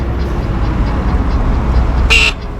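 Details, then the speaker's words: Talaria Sting R e-bike horn: brief thin, quiet note over a running motor rather than a full blast; horn weak, suspected to be resting against wires or something nearby. "Why the fuck it sound so low? I was trying to get your attention."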